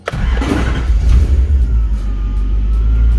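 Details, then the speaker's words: Lexus IS200 swapped with 1UZ-FE V8, after converting fuel pump assembly to Dash/AN6 lines with Walbro 450L/h E85 pump: starter catches quickly, deep even rumble settles into steady idle with no misses; normal start and idle. "Bon, le ralenti bien pec."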